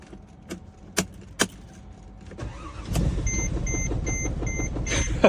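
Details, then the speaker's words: Car with dead battery started via VTOMAN X7 4250A lithium jump starter using boost button: sharp clicks, short crank, then engine catches and holds a steady even idle with no stumble; starts fine. "After 4 fill it up, after 10th attempt to turn it on the car, it jumps right up."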